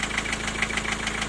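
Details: Four-cylinder diesel at idle: sharp metallic knock about seven per second over the clatter, near cylinder four. It is intermittent. The vacuum unit was replaced and the injectors were ruled out. The owner suspected valve shims or a piston pin.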